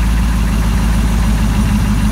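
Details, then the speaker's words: Z20 car after fuel hose repair (hose still leaking), air conditioner on: deep, steady idle with even low rumble, no stumble; timing first sounded low, now set higher and sounds better; normal idle. "Now it's high. It does sound better."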